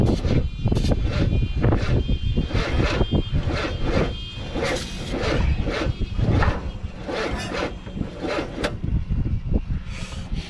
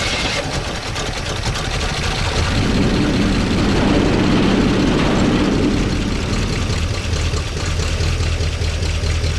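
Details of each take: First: 1969 Chevy C10 engine, battery connected and fuel pump working: long churning crank with uneven pulses that never catches; hard starting. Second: 1969 Chevy C10 engine that was hard to start, after slightly adjusting ignition timing: cranks, catches around two seconds in, then steady idle without knocking, quieter than before, 50 psi oil pressure, minor oil drip; runs normally.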